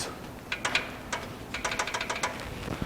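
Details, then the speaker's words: VW Beetle-based MG kit car, air-cooled, revived after about 5 years, engine off, crank rolled 180° during valve adjustment: sharp metallic clacks as the rocker is worked by hand; intake valve four has far too much clearance. "And I don't know if you can hear this, but intake four really loose."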